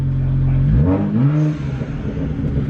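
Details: BMW 1M turbo petrol with OEM downpipes refitted: the engine note climbs cleanly and drops back smoothly with no hesitation or rasp. A healthy rev, now more linear and sounding way better than before.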